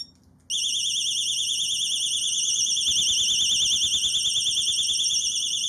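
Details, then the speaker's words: Xena XX14 alarm disc lock, off the bike, fresh battery fitted, set off by tapping: after a warning beep, a piercing high warbling siren starts abruptly and holds at full volume; ridiculously loud. "So we've got the battery in, and now I'm going to set it off, and hopefully through the microphone you'll be able to hear how loud this thing is. So if you tap it or move it, it gives you a warning beep, and then"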